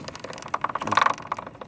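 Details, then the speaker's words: Motorcycle in neutral, engine off, rear wheel turned slowly: light sharp repeating clicks, possibly from chain/front sprocket or inside gearbox (owner leans gearbox); chain greased every 200–300 miles, bearings checked good, sprocket looks fine. Cause unconfirmed. "you can kind of hear it clicking but I can't tell if it's coming from like the chain in the uh from the front sprocket or if it's coming from inside like the gearbox"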